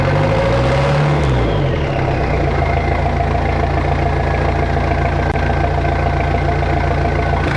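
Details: Jeep XJ 2.5TD diesel, first start after GT2871R turbo, manifold, exhaust and intake install, cold garage: catches, revs briefly, then settles into a steady, loud, even idle with no knocks or rattles; healthy engine.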